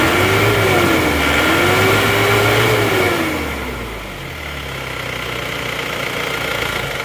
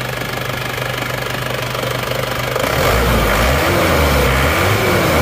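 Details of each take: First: Nah, pasokan solar kurang lancar. Nah, ini adalah penanda kalau goyang seperti ini, digas tinggi terus RPM-nya turun, glek-glek terus mau naik lagi. Itu berarti penanda filter solarnya sudah buntu ya. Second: Isuzu Panther diesel after the fuel filter was replaced: steady idle clatter then clean, even revving with no stumbling or stalling, where before it shook and died; normal revving.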